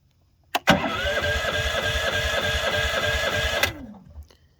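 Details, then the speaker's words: Champion 8500 W dual-fuel propane/gasoline generator: starter spins about three seconds with even compression beats but never catches because the fuel supply wasn't turned on. "Try that again. Oh, I know what I forgot. To turn the gas on."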